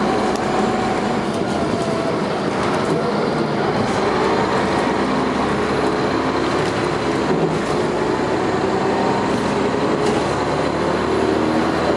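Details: First Manchester Dennis Arrow bus 31935 R435ULE with ZF gearbox, recorded 30 November 2011, pulling under acceleration: steady loud rattling diesel roar over road noise, typical coarse thrash for this engine. Normal diesel thrash.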